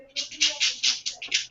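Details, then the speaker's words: RC crawler (SCX10 II / Vaterra K5 build) transmission: harsh high-pitched gear buzz in choppy bursts about five a second, locking up badly when driving rear; gear binding, cause unknown (maybe needs teeth break-in). "I don't know if I have to break in those teeth but they are locking up horribly you can hear it oh yeah I can hear it sounds terrible"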